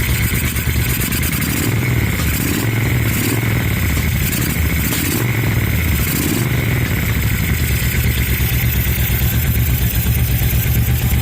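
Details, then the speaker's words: 2000 Suzuki VL1500 Intruder LC V-twin, sat 10 years, after rebuilt carburetors installed: loud lumpy idle with a few throttle blips early, then even beat with no fuel spitting; normal start and idle. "She runs. No gas spitting out anywhere."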